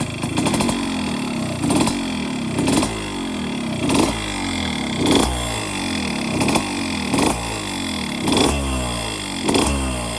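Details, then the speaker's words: Yamaha RXZ two-stroke after porting, piston block slightly bent: throttle blips bring a loud rattling clatter from the barrel nearly as loud as the exhaust, like piston slap; new bore and piston planned. "ये आवाज पूरा निकल जाएगा क्योंकि आवाज तो बहुत है। मतलब जो एग्जॉस्ट का साउंड है उसके बराबर ही यह आवाज आ रहा है। तो यह इरिटेट कर रहा है और गाड़ी के लिए भी अच्छा नहीं है।"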